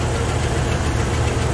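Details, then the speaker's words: Truck deep uneven idle with faint irregular knock; mechanic diagnosed stuck valve, fuel pump fine, noise from left side, traced to cylinder number two on the left; treated with soaking liquid, left idling to warm up. "it turns out the number two on the left is the one making the racket so it is the uh it is the uh the valve"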